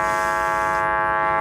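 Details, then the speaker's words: Car audio subwoofer amp driven into hard clipping with a clipped sine wave, heard through the speaker with the filter off: harsh, gritty, steady buzzing tone with no clean note left. "Now, if I take the filter off and just run it through the speaker, you're going to hear both the clip and the sound. That's a clipped sound wave. Horrible."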